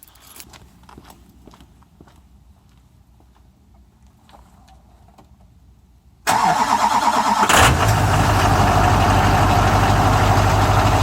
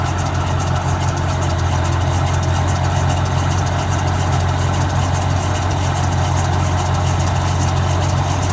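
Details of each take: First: 2001 Chevy Duramax diesel at 20°F after a 17°F night, not plugged in, phone propped up nearby; a short crank of about a second, then it catches and settles to a steady, loud idle. Cold start. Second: 2001 Chevy Duramax diesel at 20°F, plugged in overnight (16°F low) and unplugged before starting; smooth, even low idle with steady clatter and no misses or rough patches. Normal cold start idle.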